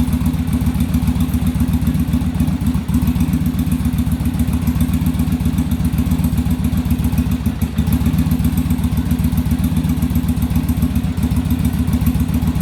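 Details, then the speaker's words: Yamaha Virago V-twin during on-engine carb sync, after raising idle screw and adjusting rear carb idle stop; steady even lope about 220 pulses a minute, no misses or stumbles; carbs now balanced, normal idle. "all right so now we got them balanced in i just had to adjust that a little bit"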